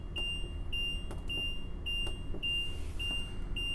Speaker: As you can hear the beeping sound, that is a warning buzzer letting you know your jacks are down, so you don't accidentally drive away with you